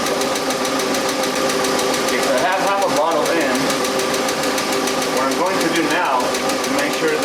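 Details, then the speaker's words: Engine in a car that sits most of the time: light, quick ticking about three taps a second over a smooth idle from a dirty, clogged hydraulic lifter, before Rislone engine treatment was poured in while running. "so there you go if you ever encounter a tapping sound like that one this engine hat and your engine has either hydraulic lifts their sort of hydraulic flash adjusters"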